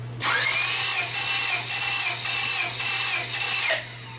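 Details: 2000 Honda Civic LX that severely overheated, cranked during a compression test with plugs out and throttle wide open: fast, even starter whir at a steady pitch with no labouring. Cylinders read about 150–162 psi.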